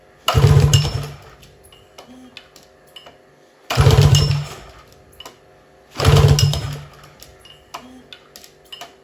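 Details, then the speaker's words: Scrapyard 2006 Tohatsu 30hp two-stroke outboard (serial suggests 25hp), pull-start compression test, top cylinder 140-145 psi, near new: three hard pulls about three seconds apart, strong even chuffing that fades, no firing; healthy compression. "has got 140 would just say 145 on the top cylinder getting pretty close to a new motor"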